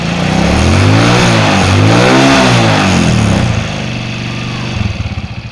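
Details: 2004 Suzuki Shogun 125R, clutch plates, clutch housing, cam chain and its rubber replaced a year earlier, revving and settling: a steady rhythmic tapping about four times a second rides over it; abnormal engine noise, source unclear.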